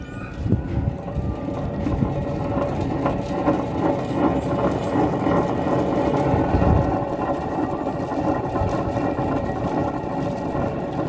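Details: 2004 Lexus LX470 driver-side front wheel bearing, completely failed: rough, gravelly, uneven rumble as the bare hub is spun by hand, with play in the hub and a worn tie rod also noted; worn wheel bearing growl.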